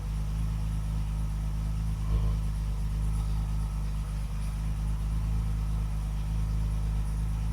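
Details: Classic car after fitting the correct ignition coil, new contact breakers and condenser, with timing set statically: low, steady idle burble with no misfire or hunting. Idling properly, best it has ever run.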